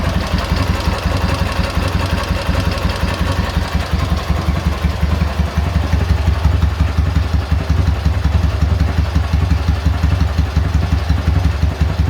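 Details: K-750 motorcycle boxer twin after replacing the timing gears (four crankshaft gears), ignition fed direct to the coil: loud, even, loping idle around three pulses a second with no knock. The earlier knock has disappeared.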